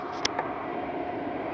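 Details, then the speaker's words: 10-year-old IQAir Compact air purifier whose original motor ground and seized, now fitted with a replacement inline centrifugal fan, just started at full power: even rushing air, faint steady mid-pitched hum, no rattles or rubbing; normal. "there we go it's on turn it full power starting up"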